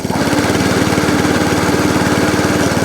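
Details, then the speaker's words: ATCO Balmoral 14S cylinder mower after a new throttle cable and carb leak fix, running with cutting cylinder engaged: quick, even putter at constant speed, not hunting; normal running. "Lovely. The engine's not hunting. Drive. Yeah. Drive and cylinder."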